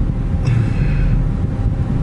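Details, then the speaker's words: Worn rental Chevy Tahoe with a slightly drained battery after dying at idle: a steady low labouring churn as the starter keeps turning the engine over with no catch into a running idle; cause suspected, not confirmed. "tried to turn it back on again and it was just trying to turn over and turn over and turn over this thing is so beat"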